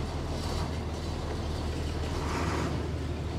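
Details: Truck bought at Copart with a manual clutch; steady, even low diesel rumble at idle with no knocks or uneven beats; normal idle.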